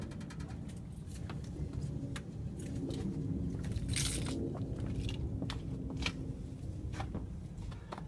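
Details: 2000 Toyota Avalon driving, irregular light scraping clicks over road rumble, absent in reverse, starting after about 25 minutes; caused by rear parking brake in small drum behind rotors, since fixed.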